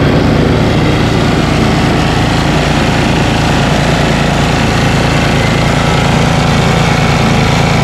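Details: Ariens ST1128 28" snowblower, 11HP Tecumseh Snow King engine, cold day, after carburetor cleaning and pilot jet fix for surging. Despite an apparently ~5HP carburetor, a steady, even putter with no hunting, speed holding constant: normal idle.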